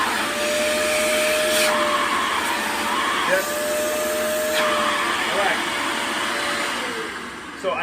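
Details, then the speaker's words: Tineco carpet shampooer suction check, unit lifted, testing at the port: steady high rushing motor roar with firm airflow hiss and slight pitch shift as it seals; suction good there. "I have good suction here okay I have this suction right here"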